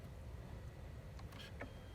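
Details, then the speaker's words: Mercedes W211 E320 CDI, already warm, with a relay jumpered as a workaround for an intermittent no-crank/no-start with an ESP message (owner suspects the ECU): light relay clicks and a steady fan rush. Relays clicking and the cooling fan running. "you'll hear some stuff clicking and my fan turns on that's because my car is already warm"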